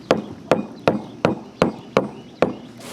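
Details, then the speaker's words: Tool tap test on a sailboat deck around the baby stay fitting during repair: seven even taps each giving the same dull solid thud, no hollow sound; deck solid, no voids. "got tools, but it all sounds the same, right? Right. No hollow. Oh, it's like a dull thud."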